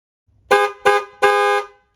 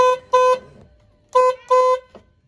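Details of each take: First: Ford Mustang SN95/New Edge after clock spring replacement and connecting both horns (previously only one): three loud, clean blasts, two short and one longer, full steady tone with no crackle; horn works normally. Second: Mustang SN95/New Edge (94-04) horn after clock spring fix: short double toots on a single thin note, only one of the two horns connected so it sounds weak; connecting both restored a normal horn.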